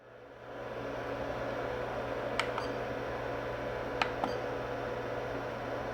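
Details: Mean Well RSP-1500-24 power supply feeding an iCharger 406DUO that charges Turnigy Nano-Tech 3s 5000mAh packs. This is the third supply; earlier ones clicked and then popped. Sharp paired clicks over a steady fan hum as the first battery starts charging, with cell imbalance over 150 mV; the supply is faltering.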